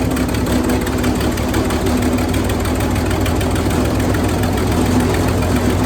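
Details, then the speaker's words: Wood chipper engine running after new spark plugs and a battery: loud, steady engine with an even low throb and no misses or knocks, running normally. "[Music] it's a very loud machine"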